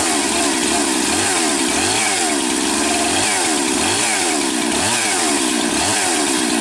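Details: Rebuilt 371 chainsaw with new top end and new carburetor (compression 80 raised to 130–135), started after long sitting; loud crisp two-stroke scream holding speed while revving and cutting, clean throttle response, no stumbling; healthy.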